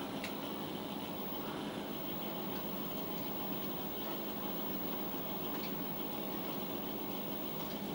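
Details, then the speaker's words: Amiga 500 floppy drive loading a game disk: quiet, steady hiss with thin squealing tones and faint seek ticks; drive suspected bad, replacement ordered; floppy drive squeal during loading. "you can hear it kinda squealing around in there"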